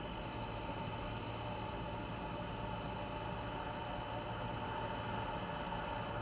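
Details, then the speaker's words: Asus ROG Strix 1000W Platinum PSU fan with double ball bearings, sampled at various speeds: at low speed a steady airy whir with a faint constant rough bearing tone, typical of ball-bearing fan noise. "Here are some sample audio clips from the fan’s noise at various speeds for you to see (hear) the bearing noise I'm talking about."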